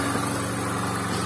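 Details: VAZ-2110 (Lada "desyatka") 8-valve injector, after replacing the idle air control valve: the old one stuck extended, so the car stalled at idle and wouldn't start without gas; now even, steady idle, smooth low drone, no surging or stumbling; normal idle.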